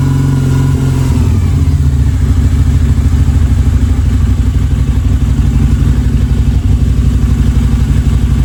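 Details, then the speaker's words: Harley V-Rod on its first start in at least 4 years, with fresh 91-octane fuel, a new battery and the throttle body refitted. Penetrating oil squirted into the cylinders left the plugs wet. Loud, lumpy, slightly uneven V-twin idle with smoke: wet-fouled plugs from storage oil. "When I pulled out the old plugs, they were wet still from it, so that's going to foul them up a little bit."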